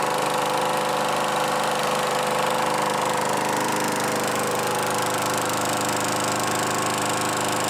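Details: Craftsman Eager 1 mower 917.383241, final run after tightening hardware and new filter assembly; even, steady small-engine beat at constant speed, no misses or heavy knocking. Normal running.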